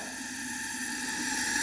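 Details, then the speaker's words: 1974 Yamaha TX500 barn find, leak-down test on right-hand cylinder at TDC, air hose in cylinder: steady hissing escaping from the carb, meaning right-side intake valve isn't sealing. "that one's coming out of the carb. Hm. We are at the T. Yeah, that's definitely the carb. So, I don't think the valves are sealing on the right hand side cylinder."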